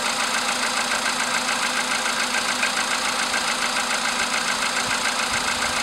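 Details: VW Polo sedan, CFN engine, cold start in the morning after sitting overnight, about 10°C outside: crisp, even metallic tapping a bit over two per second over the idle hum; engine knock, cause unknown.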